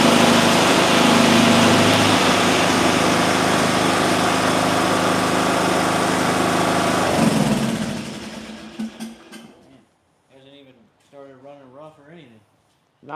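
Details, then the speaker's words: Small engine with ignition coil air gap at 0.040 in versus the recommended 0.010: fires right up, smooth, even, steady note with no misses or surging, then shuts down cleanly; normal running. "40,000. 40,000 and see what happens. Fire right up."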